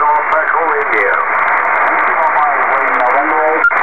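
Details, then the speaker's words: Kenwood TS-2000 HF transceiver on 15 m upper sideband amid heavy local band noise, built-in noise reduction switched on: hissy, narrow audio with warbling, watery, garbled voices; noise reduction distorting received audio. "now I'm going to show you how a little good the noise reduction on this radio does makes the signals garbled and hard to read"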